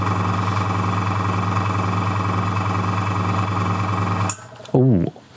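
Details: Airbrush compressor filling for 1 min 30 s, then cutting off at full: loud, steady buzzing hum with a fast even pulse, then a clean switch-off; healthy but very loud.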